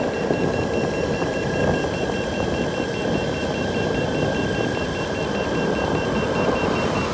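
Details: Boosted Board V2 electric skateboard with newly installed Shred lights, at about 23–24 mph: fast continuous chirping remote beeps over wind and rolling noise, power drops to eco mode and connection lost; motors and cables fine, cause unknown.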